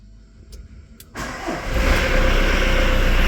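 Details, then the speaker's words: VW T4 Transporter 1.9 TD diesel, auction van, after new ignition barrel fitted; few clicks, cranks and catches into steady, rattly, noisy diesel idle that keeps running; normal start, noisy as typical when cold. "yeah techical 1.9 TD noisy but it's running well"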